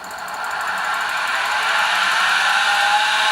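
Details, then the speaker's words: Titan TM25V milling machine converted to LinuxCNC, spindle driven from the software: smooth whine rising and settling to a steady pitch, no knocks. Spindle reaches commanded speed, readout within about 100 RPM. Normal. "There we go, commanded speed, spindle at speed, all good. Readout's pretty accurate, it's within about 100 RPM, not too bad at all."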